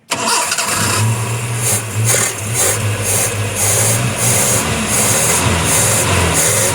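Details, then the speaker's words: Nissan C22 van after clearing clogged oil pressure switch, alternator not yet refitted: engine catches immediately and settles to a steady, even idle without knocking or harsh rattle; earlier noise and oil light gone. "Okey, selesai."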